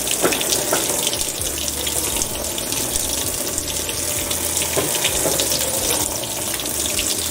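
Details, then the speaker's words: Whirlpool washer at cycle start filling the basket with water: steady rushing hiss of water pouring into the tub, with no knocks, hum or grinding; normal fill sound. "this sound means that the washer is filling the basket with"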